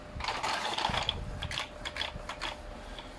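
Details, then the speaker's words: Epson L220 inkjet test-printing text after its print head was removed, cleaned, dried and reinstalled; quick uneven clicks and short whirrs as the head shuttles and paper feeds, no grinding or knocking; prints came out complete with no gaps. "นี้ผมจะลองปริ้นดูนะครับผมพิมพ์ตัวหนังสือดูนะครับผม"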